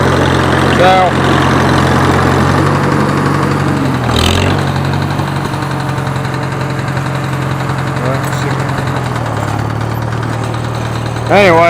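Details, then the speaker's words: Farmall H tractor petrol engine: steady idle with loose, uneven knock about three or four a second, deeper thumping under load, unaffected by clutch; bearing-like metal pieces later found in the oil pan. Internal knock, cause unconfirmed. "it gets to more of a deep thumping noise when you get it under load that's why i was out here mowing a little bit of grass"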